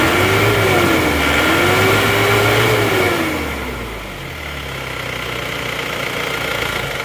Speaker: Nah, pasokan solar kurang lancar. Nah, ini adalah penanda kalau goyang seperti ini, digas tinggi terus RPM-nya turun, glek-glek terus mau naik lagi. Itu berarti penanda filter solarnya sudah buntu ya.